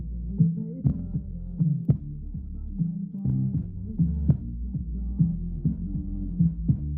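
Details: Rockville RBG18FA subwoofer after fixing a loose, possibly stripped screw that rattled when turned up: clean deep bass thumps in a slow musical rhythm with no buzz or rattle above them; the subwoofer now plays normally.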